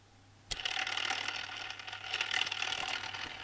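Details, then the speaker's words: Tamiya Display Turntable Black, freshly assembled, battery powered, running at high speed without the tray (about 3 rpm). A small motor whirs with a light, fast rattling tick from the plastic gearing. "It rattles. Let's look at it."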